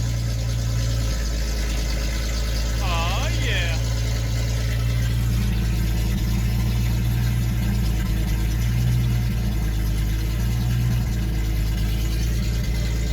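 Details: 1976 Datsun 280Z six, first start after sitting four or five years, exhaust off: loud open-pipe rumble, deep steady even firing with light throttle blips; runs smoothly, started right up; owner suspects distributor for no hot restart.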